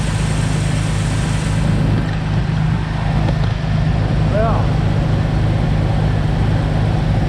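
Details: 2004 Jeep Wrangler TJ Rubicon after six new fuel injectors, o-rings, fuel rail heat shielding and throttle body cleaning for heat-soak rough idle: engine fires and settles into steady, even idle, no stumble or miss; normal idle.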